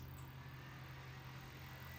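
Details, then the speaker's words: Small auxiliary fan on the 12-volt power socket of a Meyers Manx VW dune buggy, running with ignition on during dash wiring: quiet, steady low hum with a faint thin whir, no rattle or scrape. Fan and socket work. Normal. "You hear the fan come on. Let's see if we can do that little rotating action. So the fan works, so the 12-volt socket works."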